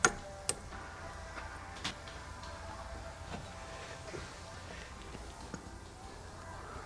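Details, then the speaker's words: 2011 Subaru Outback with wheel bearing noise while driving: faint dry ticks and light rough rasp as the removed bearing is spun by hand, confirmed bad and replaced. "bad wheel bearing. And you can definitely hear it."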